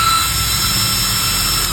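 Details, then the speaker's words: High-speed DC 12V 3.30A brushless ball-bearing fan after linear soft start: loud steady high-pitched whoosh with fixed whistling tones at tens of thousands of RPM, held by hand to stop it flying; healthy, normally noisy. "Kebisingannya sendiri ini cukup bising pastinya ya, karena RPM-nya tinggi, berpuluh-puluh ribu, pastinya bising."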